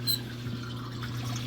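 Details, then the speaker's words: Hot tub after replacing a leaking Aqua-Flo XP2 pump wet end, tub filled and sub panel switched on: low steady hum with water trickling and swirling, no grinding or rattle; pump circulating normally. "I got the pump in and hooked up and filled up the hot tub so now I'm going to flip on the sub panel [Music] and sounds like the"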